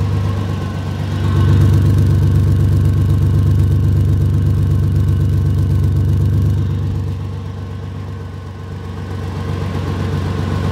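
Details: 2004 Ford Ranger at idle, microphone near the leak: quick even puffing tick in step with firing pulses, an exhaust leak just ahead of the flex pipe.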